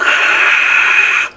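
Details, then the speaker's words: Loud steady hiss with faint whistle cutting off when switched, from an original Electro-Harmonix Big Muff fuzz pedal in bypass, controls at half; distortion still working. "i've got it bypass at the moment it's very noisy so when we kick it in you may not be able to hear that noise but it's very"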